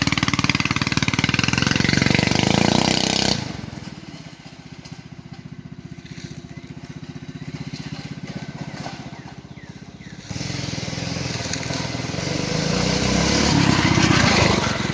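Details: Go-kart with replacement small single-cylinder engine, carburetor jet drilled oversize, centrifugal clutch chain drive: engine revs up, settles to a quieter idle around eight seconds, then picks up again, running evenly without misses; normal running.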